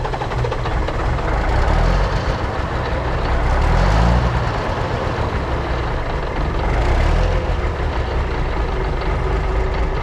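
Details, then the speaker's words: 1980s Marmon cabover semi, Big Cam diesel unrun about 18 years: deep rumbling fairly even idle without knocks or misfires; fuel shutoff solenoid not working, oil gauge stuck at 15 psi, suspected bad. "Well, she runs. The problem is there's no way to shut the fuel off."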